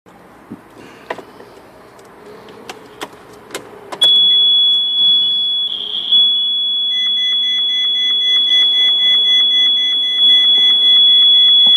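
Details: 2013 Ferrari 458 Spider: a few soft clicks, then a steady, piercing high-pitched electronic buzz from the center console near the roof-opening switch. No dashboard lights or warnings; the cause is unknown.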